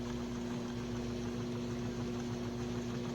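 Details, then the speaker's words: Sunbeam Carousel rotisserie before repair, plugged in cold with the timer at about 5 minutes. The gear motor turns slowly with a steady, even hum but starts smoking and getting hot, which showed its motor was burned out. "See that motor turning nice and slow?"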